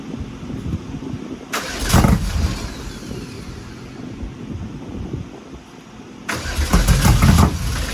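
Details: Porsche 964 engine with new cam timing: two spells of even starter cranking, turning over steadily but never catching; cranks but still won't start.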